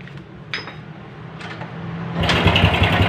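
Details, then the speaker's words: Honda Grand motorcycle, smoking heavily: harsh fast clattering rattle, about four beats a second, swelling with revs; mechanic suspects low or exhausted oil, later found worn rings, scored liner and loose connecting rod. "Ini suaranya kasar sekali teman-teman ya. Kemungkinan besar karena motor ini ngasep parah sebenarnya, kemungkinan besar olinya berkurang ya."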